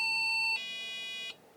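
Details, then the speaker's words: IBM PC 5160 (XT) motherboard with diagnostic chip, only 256K first memory bank set, speaker gives a two-tone POST beep code read as "5 and 9": cannot initialize the monitor, no display. "okay so that was five and nine which is simply cannot initialize the monito"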